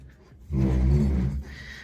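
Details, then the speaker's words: Suzuki Samurai under restoration, front end raised, front wheels turned: deep droning groan swells about a second while turning, vibrating whole dash; recurring steering vibration, previously eased by spraying something in, cause unconfirmed. "it's like a vibration when you're turning the wheel vibrates the whole dash and everything and it was doing that before and I fixed it by spraying something in there"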